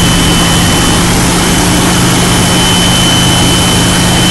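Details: 2001 Jeep Cherokee: loud, constant tea-kettle-like whistle over a loud running engine, owner thinks from the right side of the engine bay; cleaning the idle air control valve, suggested as the cause, did not stop it; source unknown.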